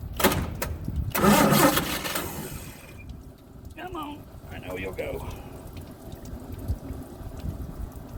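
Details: Old truck engine, cranked with choke set: starter churns in short bursts, never fires, then goes quiet. Cause found to be the bad original/old ignition coil, replaced with a borrowed one. Crank, no start.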